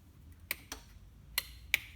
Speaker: what's weird you can hear stuff clicking so I mean this I mean the keys off these computers are always on and drain the battery